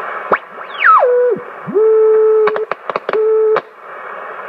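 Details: Hammarlund HQ-170A receiver during alignment, on the control check with calibrate switch: clean steady tone settling to one pitch as the receiver tunes, with a few clicks between; calibrator signal comes through fine.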